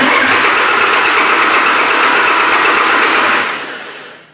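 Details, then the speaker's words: Diesel cranking during a starter circuit voltage drop test, about 30 millivolts measured on the ground side: even, brisk cranking at about three beats a second, then winds down; starter turns the engine healthily, voltage drop fine. "voltage drop there is fine we can also go from negative battery to negative battery based on just the way it sounds"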